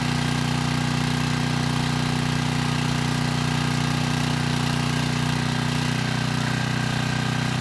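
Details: 6,000 watt Troy-Bilt generator after repair, 15-minute run with a 3000 watt load and 240 volts at the 240 outlet: steady, even drone at constant speed, no misses, surging or knocks; normal running under load.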